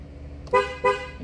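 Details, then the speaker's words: 2012 Ford Focus with car running: two short horn chirps about a third of a second apart, as if locking or unlocking, also happening while driving; doors fail to lock, fans run when doors open; water-damaged body control module connector found. "another thing I noticed when I was pulling the car in car would hon twice as if you trying to lock the car or unlock the"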